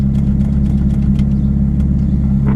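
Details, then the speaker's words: Mitsubishi Eclipse with 1995 Dodge Neon automatic ECU swapped in for ignition issues: first start, steady low idle drone not fully settled; idle air control valve behaving erratically. "here's to see what happens with my plus nine layer control valve back end idols doing all kinds of crazy stuff"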